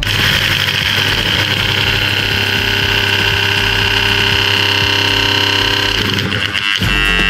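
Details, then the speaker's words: Panasonic blender motor tested bench-direct on mains, bottom housing removed: harsh, raspy high-speed whine with crackling and visible brush sparking, then suddenly bogs and stalls after running a while; worn commutator with loose bushing. "terlihat pembakarannya keluar percikan api dan ketika lama dinyalakan tiba-tiba macet"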